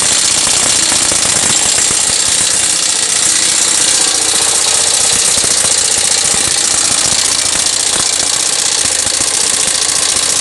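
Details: Yamaha SZ 150 single at idle: busy, rattly, arrhythmic top-end clatter persisting after timing chain and tensioner were already replaced; exact source still unclear, oil level checked and present.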